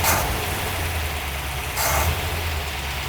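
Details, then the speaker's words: Vintage Ford Y-block V8 in a Thunderbird, just after the alternator was tightened: steady, even low idle, no misses or knocks, a couple of brief blips in the hiss. Normal idle. "a lot more happier right away with that alternator tightened up though."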